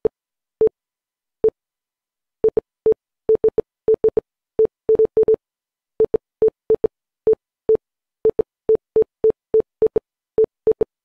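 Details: Windows 11 PC with a new boot drive, when opening or installing a program: short clean beeps at one steady mid pitch in uneven single and double groups, Morse-like. Cause unknown.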